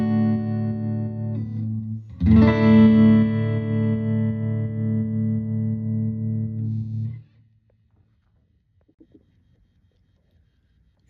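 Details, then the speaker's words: 1974 Fender Super Six Reverb (100 W, six 10-inch speakers) after restoration, reverb at 3, vibrato speed 3, intensity 5: clean guitar chords pulsing evenly at about three beats a second with smooth reverb tails; tremolo and reverb working normally. "all right here we are are with a Reverb of three and vbr speed of three with an intensity of five"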